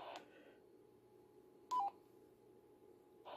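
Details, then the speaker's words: BaoFeng UV-S9 receiver with STE and repeater STE on, after PTT is released: a short hiss, a brief tone burst, then near silence for over a second before the hiss returns. The owner suspects the STE tone causes this intermittent muting. "but you can hear it cuts for a while so that's the problem I believe I'm having or it's a possible cause of the problem"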